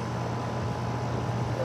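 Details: Outdoor AC condenser running on a no-cooling call where cans were left on the unit; pressure 105, 71°F day. Steady, even low hum with no rattles, buzzing or cycling; running normally.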